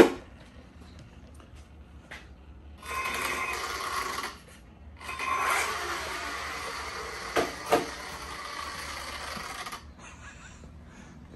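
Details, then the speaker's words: Traxxas 4-Tec 3.0 on its very first run on 6S with a Castle Mamba X 1515 2200kv motor: a high electric whine in throttle bursts. Gear mesh sounds off, but it was checked many times and there is no grinding. "it sounds like the gear is not messed right but trust me i've checked it many many times it's good but let's see how this thing runs"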